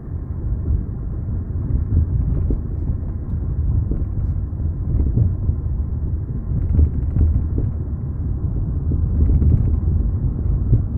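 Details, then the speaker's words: 1998 Toyota Camry, 132,958 miles, driven after newly installed 1A Auto aftermarket struts: low road rumble with dull clunks over bumps from the new struts; old struts were quiet; trunk empty. "e you will see that these struts are making a ridiculous amount of noise excuse me while I pack down my driveway"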